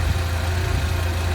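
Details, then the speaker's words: Old Jeep engine at idle, heard through a mechanic's stethoscope probe on the idler pulley: steady, even low hum with no grinding or whirring. Idler pulley normal; the regular noise was traced to the tensioner pulley, likely its bearing. "小舵轮的这个声音也是正常的。"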